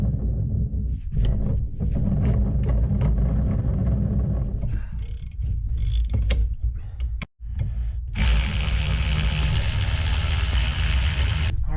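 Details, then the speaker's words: Ford 7.3 IDI diesel with fan clutch removed during water pump replacement: rough, uneven clicking and grinding as the pump pulley is turned by hand, a badly worn water pump bearing; the pump was also leaking at the bottom. "now that that fan clutches off you can hear how bad this bearing is"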